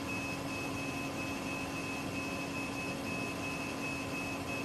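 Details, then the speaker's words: Mundt femtosecond laser station stage servoing while positioning: constant thin high whine over a soft low hum, steady with no clicks or grinding; ordinary, somewhat noisy servo stage noise. "And I hear this sound. It's normal. Yes, that's normal. Okay. That's the servoing of the stage. Okay. Their stages are a little bit noisy."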